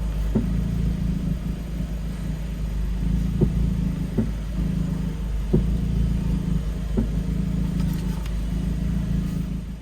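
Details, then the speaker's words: Lowered stage 2 2016 VW Jetta S 1.4T EA211: at full right steering lock, dull thuds about every second over a low idle. The sway bar end link on that side catches the fender liner. "but basically when i cut the wheel all the way right right before it locks um the sway bar inlink that's on this side of the car actually catches the part of the fender liner"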